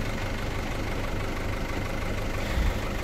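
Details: Mazda T4000 diesel truck idling after a jump start with a lithium jump pack, its two big batteries drained to about one volt by a headlight relay that latched on; steady low clatter at an even idle, no stumbling or misfire, normal idle.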